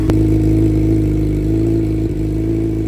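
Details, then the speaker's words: Salvage crashed 2019 Suzuki GSX-R750, reportedly very low mileage, first start on a booster before teardown: starts right away with no hesitation and settles into a smooth, even four-cylinder idle with crisp firing and no misses or knocks; healthy engine. "that's really really good bike started right away no hesitation whatsoever it sounds beautiful"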